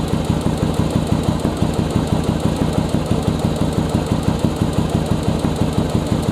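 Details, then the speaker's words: Second-generation Virago air/fuel screw adjustment, running on one cylinder, screw turned in from one and a half turns: the thumping idle's rpm drops, meaning too lean, so the screw is backed out about an eighth of a turn. "right there you hear the rpm drop down that means i'm starting to get too lean let me back it back up just a little bit and that should be my setting and it's real simple to hear"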